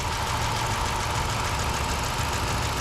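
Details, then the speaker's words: 2006 Dodge Magnum 5.7 L V8, warm from a trip, just after a K&N cold air intake install, no check engine lights: a deep, steady, even idle rumble with no ticking or stumbling. Normal idle. "Oh yeah, you can hear that throttle open up real good now. Well, that sounds pretty good. That sounds so good."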